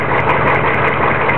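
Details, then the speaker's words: 1993 Chevy diesel truck, just bought and driven 85 miles, idling rough: heavy clatter with an uneven, loping rumble and the whole truck shaking, no smoke from the tailpipe; shaking smooths out when revved higher; cause not yet found. "okay here is the video of the truck um starting up it seems to start up nicely but you can see oh maybe you can't see the whole truck shakes pretty decently there's really no smoke out the tailpipe at all"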